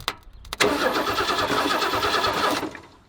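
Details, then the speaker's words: 1967 Lincoln Continental V8 abandoned for years: starter spins briskly about two seconds with no firing, fuel pulsed but none seen entering the carburetor jets; crank no start from no fuel delivery. "yeah I don't see any fuel yeah give me a full pedal"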